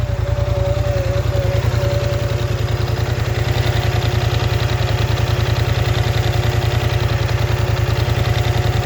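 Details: Polaris Scrambler XP 1000 S at idle: strong regular pulsing thump about three and a half times a second over the low engine drone; weird noise, source unclear.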